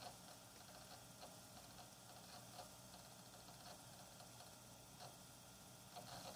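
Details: Hard drive making an abnormal clicking noise: very quiet whir with sharp faint clicks roughly once a second at uneven spacing.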